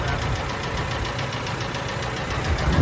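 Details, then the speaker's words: 2006 Ford F-150, about 198,000 miles, engine run after oil drained, hot after brake torture test, idling: rapid uneven metallic knocking over V8 rumble, louder toward end; rod knock plus lifter noise, engine condemned. "we should let it cool down so it's got some lifter noise the rod knock sounds better yeah we fixed that part of it"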